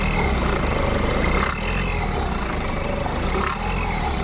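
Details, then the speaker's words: Peugeot/Citroen engine idling with a knock near the engine; faint knock in steady low run, source unclear, suspected loose clamp or something internal, not yet confirmed. "стучит стучит всё И что думаешь сейчас посмотрим Что случилось Ничего страшного уверен"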